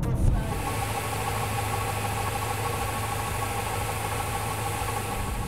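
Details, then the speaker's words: BMW M6 at idle after a long road trip to a circuit: steady idle with a light metallic rattle beneath the engine note, diagnosed as coming from the flywheel. "and that noise unfortunately after diagnosing I came to the conclusion that it's coming from the flywheel."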